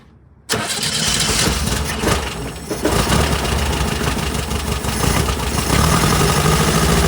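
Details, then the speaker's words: 1967 VW Type 3 Squareback air-cooled flat-four, cold start with starter fluid after fixing carburetor chokes: fires on one short crank into steady, slightly lumpy fast idle; starts super easy. "hopefully very nice so that started up super super easy I'm just going to go ahead and get the engine to run for some time"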